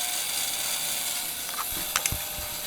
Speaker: so when I crank this over we'll get spark you can hear a coil buzzing and as we turn it over that'll change